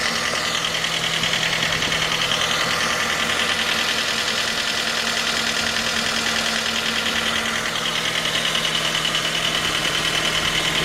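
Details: 2010 J20A engine at cold idle: a sharp, steady knock about three per second. It appeared at 10,000 km, dealer checks found nothing, and it progressed after oil changes. Cause was a scored crankshaft journal on cylinder 3, attributed to non-recommended oil.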